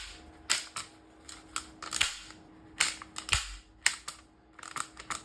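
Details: Stihl MS201TC-M chain brake after repair, with flat spring tension restored so the brake is no longer floppy. It is flicked on and off, giving sharp, crisp snaps with no slack rattle, so it works properly.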